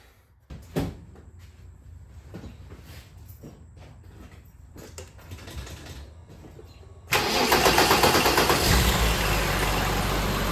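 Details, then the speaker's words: 1990 BMW E34 M5 inline-six, previously misfiring at low rpm, after spark plug work and labelled leads: light clatter, then a steady even idle with no stumble; an accessory belt whine remains. "idle sounds good something is whining an accessory belt or something one thing at a time that's good"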